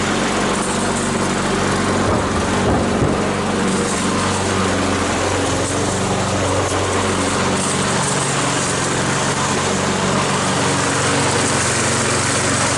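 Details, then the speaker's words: Troy-Bilt single-cylinder mower after head gasket repair using parts from another engine, cutting grass: steady even drone, no surging or hunting; running fine. "all righty cutting like a charm no surging everything works fine"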